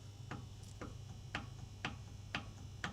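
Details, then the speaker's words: Volvo V70 T5 burning heavy oil: sharp clicks about twice a second as the turbo shaft is rocked with pliers; worn shaft bearings with excessive play, turbo confirmed as the fault. "You can hear that as well, definitely. So correct diagnosis, it is in fact the turbo."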